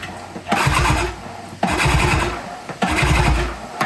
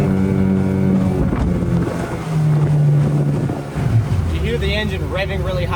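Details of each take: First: Brand-new unbranded Yamaha Enduro-style 20 hp two-stroke outboard pulled over by hand: rhythmic even, firm whooshing pulls about once a second, showing good compression. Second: Unbranded Yamaha Enduro-style 20 hp two-stroke outboard, brand new, trimmed up a peg under way: motor note climbs sharply and hangs high without more thrust, prop cavitating; owner suspects transom height or a shaft about an inch short of long-shaft.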